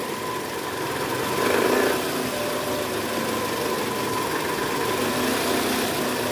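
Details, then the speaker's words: 2010 Toyota Camry 2AZ-FE, mic near oil pan, at cold start: rough gravelly rattle low in block over steady idle; worn loose balancer shaft, confirmed by stethoscope and teardown. "Oke jadi bunyinya bunyi kasar di area bawah ya Bunyi gerak gitu nah ini mesinnya udah mulai panas jadi bunyinya sedikit berkurang"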